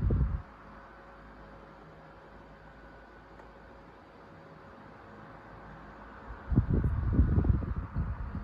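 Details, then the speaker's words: Sears 12-inch oscillating table fan 453.80120, about 40 years old, cleaned and freshly oiled, on high speed; quiet hum broken by short low rattling, buzzing bursts, subtle shake, owner thinks typical wear of old fan: intermittent rattle. "it looks better too there's a little bit of a shake and rattle but it's really subtle"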